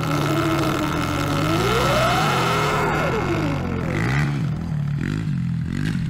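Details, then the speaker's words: Eride Pro SS e-bike after loosening an over-tight belt and a rubbing chain: loud whine rising and falling with motor speed over a steady drone; owner suspects damaged jack shaft, not confirmed. "But I'm wondering if I, in that whole process with the chain rubbing and just being too tight, if I messed up the jack shaft. You hear it's pretty loud in there."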